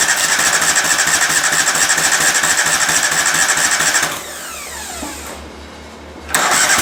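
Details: Cub Cadet twin, after carburetor cleaning: runs fine then falters and dies about four seconds in, as if starved of fuel or missing like a bad coil; owner suspected fuel solenoid, later electrical.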